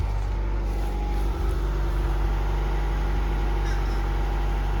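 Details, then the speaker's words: 1996 Integra with a swapped engine and automatic, bought for $500 as a non-runner, now running on a jumper pack with the alternator charging: a smooth, steady, quiet idle and exhaust, no smoke, misses or rattles; normal idle. "Hear how quiet that is? No smoking, no nothing weird."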